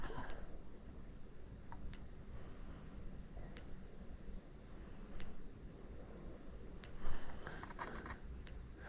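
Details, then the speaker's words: New Cyclops Master electric fence charger: faint sharp snap about every 1.5 seconds, audibly shooting electricity down the wire; normal fence pulse. "I can hear it on this one I can hear it shooting electricity down the wire I can hear it like it's actually making it make noise"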